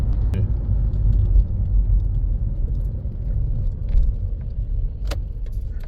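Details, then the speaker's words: Toyota Aisin MMT robotized manual gearbox driven after synchronizer replacement and shim washers (cut from gas-cylinder steel) under 3rd/4th gears, gearbox oil still cold; even road rumble, a few light internal rattles, no clunks or grinding, gear changes inaudible. "просто не слышно просто передач не слышно вон Ну ещё масло холодное Окей но оно прогреется"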